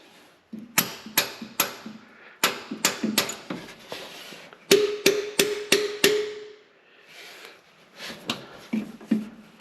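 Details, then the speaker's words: 1970 Ford Torino GT V8, sitting since 1992 and previously locked up: sharp brass-hammer taps on each valve spring at about three a second, a few ringing duller, indicating at least one or two stuck valves. "I'm going to tap on all these valve springs. By the noise that makes will let you know if you have any stuck valves or not."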